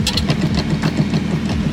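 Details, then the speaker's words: BMW E46 idling in neutral with a rough rhythmic chatter about seven beats a second; owner ruled out the shift knob and suspects gearbox gears; rattle in neutral at idle. "that's neutral right now so so like i said before it it's it's ending up being the uh the gears in the gearbox"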